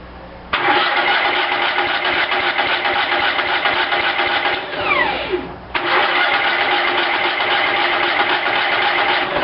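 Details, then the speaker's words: Cub Cadet lawn tractor after carburetor rebuild, primed with gas: long steady cranking whir that never catches, brief drop-off, then more cranking; hard starting because the new manual fuel shutoff was left closed, starving the engine. "I hate to admit it but I had forgotten to turn the new manual fuel shutoff on that I got put on this tractor so that's why it was taking so so long to pry them up"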